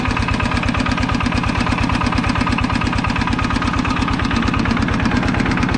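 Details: Used 105 LM single-cylinder diesel walking-tractor engine with front hand crank, described as running soft: even, steady thumping at a relaxed idle, no misses or knocks; normal healthy idle.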